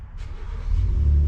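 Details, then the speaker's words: 2001 Reinell ski boat that had sunk, engine cranked by jumping the starter's crank wire with the spark plugs removed and diesel in the crankcase. Smooth, even whirring spin with no compression chuffs. "oh yeah nice so there's the engine spinning with uh no spark plugs in"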